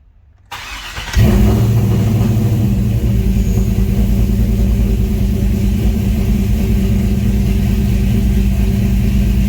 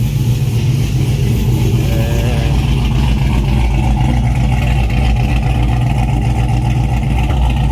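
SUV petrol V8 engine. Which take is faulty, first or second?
second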